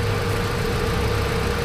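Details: Hyundai Accent gasoline engine at idle, before repair, with a surplus ECU already swapped in: lumpy, uneven beat with a regular hole in the firing, no firing on cylinder 4, traced to a loose socket in the wiring, not the computer.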